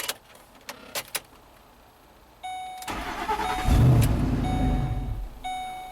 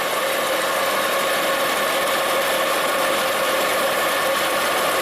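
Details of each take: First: The starter whirs and the engine catches, revs briefly, then sags and stalls. The intake tube is missing, so the mass airflow sensor misreads the unmetered air. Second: 2010 Volvo XC90 with lean codes, after the PCV-system vacuum leak is sealed; a steady, even idle with a level hum and no stumble or misfire, running smoother, though clearing codes did not reset the fuel trims.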